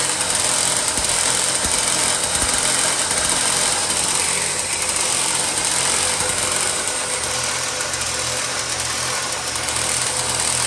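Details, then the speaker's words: 1970s EZGO golf cart engine after reseating the carburettor float needle and starter-generator repair, choked start: steady, busy engine chatter holding even speed with no misses, surging or knocking; runs properly. "all right let's check them first seem like it's running good"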